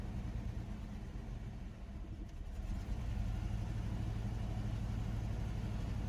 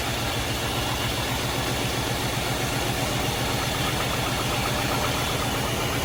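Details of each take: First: Chevrolet S10 pickup unrun since 2019, after fuel tank swap and mouse-nest valve cover cleanup: low, uneven idle rumble swelling after a few seconds, unsteady pulses; rough idle, owner suspects debris plugging injector, planning Seafoam. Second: Chevrolet S10 pickup unused since 2019, after a fuel tank swap and mouse-nest cleanup in the valve cover, possibly helped by tied motor mounts: a loud, steady, fast idle with no knocks or misses, running smoothly.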